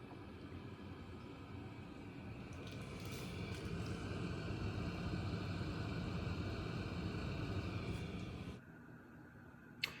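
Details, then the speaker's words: Miele G7392SCVi dishwasher on Auto programme, drying phase near cycle end: quiet even fan whoosh swelling then stopping with a click; normal, door then auto-opened. "So, just being nosy, that intake there is, I guess, circulating air around the wash cabinet to help dry the dishes by cooling."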